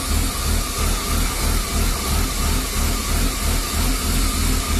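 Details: BMW E36 325i rough idle: an uneven, loping idle with a pulsing low rumble that never settles. Replacing the MAF and throttle position sensor and cleaning the idle valve didn't help. A failing oxygen (lambda) sensor was the cause, solved by replacing it.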